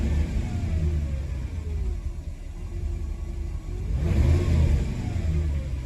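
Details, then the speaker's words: Mercedes W124 E420, M119 4.2 V8, deep rumble that surges and sags unevenly, shaking and hunting for revs. Owner is unsure of the cause; thinks it may need driving. Rough running. "guys I don't know oh it's starting something it was just shaking there a second ago"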